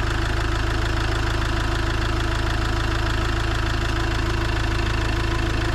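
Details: Iveco Daily van diesel around its engine oil, oil filter and diesel filter change: steady, even diesel clatter about 200 beats a minute, deep smooth idle with no misses or extra knocks; normal idle.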